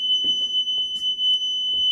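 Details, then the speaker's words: Steady piercing whistle near 3 kHz at constant pitch over quiet room noise, heard only in this bathroom, not electrical, persists with the light off and grows louder; source turned out to be the toilet. "If I turn off the light, it still resonates and it just gets louder and louder and louder."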